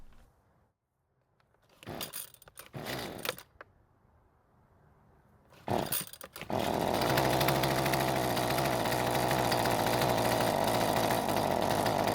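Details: Husqvarna string trimmer two-stroke that previously started but would not stay running, carb slightly adjusted before: after pull-starts it runs rough and strained, never reaching full speed.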